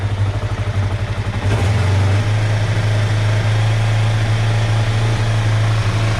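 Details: 2005 Kawasaki Ninja 500R twin revived after sitting 10 years, first startup after carb work, choke off, battery connected: after a throttle blip it settles to a fast idle that hangs and bounces; owner suspects an air leak causing the hanging throttle.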